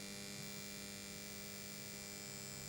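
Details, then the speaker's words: Pioneer SA-720 vintage amplifier after warming up: steady low 50 Hz mains buzz with higher whining overtones, an external mechanical vibration rather than through the audio, ending in two handling knocks; owner suspects the transformer plates vibrating. "after a while after it warming up you can hear this vibration this higher frequency vibration there and it's like that is not through the audio itself that is actually an external sound doesn't sound from the transformer physical sound thinks it's vibrating here we go"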